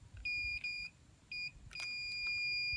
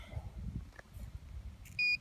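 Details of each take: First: Multimeter on continuity checking windings of a three-phase irrigation pivot motor, power off: clean high-pitched beeps in short and longer bursts as probes touch; winding continuity intact. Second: Irrigation pivot three-phase motor tested with power off by meter continuity at the terminal board: two short, sharp high beeps, only some winding pairs have continuity; open winding, motor must be replaced.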